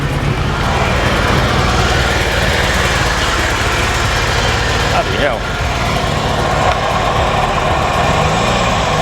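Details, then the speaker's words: Ferrari 308 V8 project at first start, despite previous plugs and leads work: rough idle with uneven stumbling beat and deep rumble, misfiring badly; some oil pressure present. "God that sounded terrible it's misfiring it's got an awful rumbling noise"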